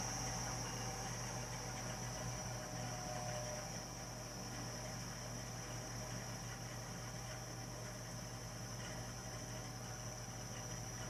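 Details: Burnham Alpine ALP150W gas-fired boiler, 3 years old, frequently rumbles when running: low steady rumble with faint hum and thin high whistle; cause unclear.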